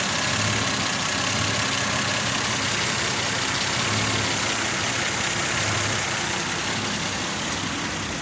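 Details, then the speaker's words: Mazda 626 idling, vibration felt inside the car, fault code present: uneven, shaky idle with a loping pulse about four times a second under a hissy background; rough idle, cause unknown. "Here's my idol. You can feel even inside the car, resting my hand on here, it's kind of vibrating."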